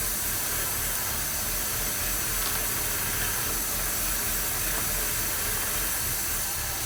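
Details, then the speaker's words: 1995 Audi A6 five-speed with 67,000 miles, during a power steering pump repair: loud, constant airy hiss over a quiet idle from a vacuum leak through an old, brittle, cracked rubber hose. "You can actually hear the vacuum leak. The hissing sound is the vacuum leak."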